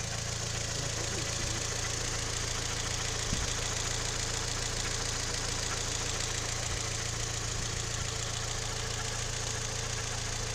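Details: Toyota 3ZR-FAE engine with CVT, knock heard only when fully warmed up: at warm idle a quick regular knock, a little over two per second, over a steady hum; it speeds up when the brake pedal is pressed; cause unknown.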